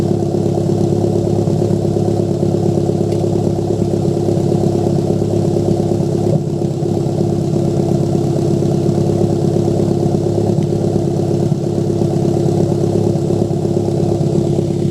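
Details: Toyota MR2 turbo idling with uneven beat and irregular little pops and stumbles in the exhaust; misfire with exhaust popping.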